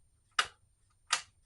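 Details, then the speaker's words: Honda Metropolitan scooter after fuel system cleaning, key turned on: two sharp clicks about three-quarters of a second apart as the fuel pump tries to prime, with a little fuel coming out. "I heard clicks and things okay the pump is trying and I don't know what you can see but a little bit of fuel came out of there that's encouraging"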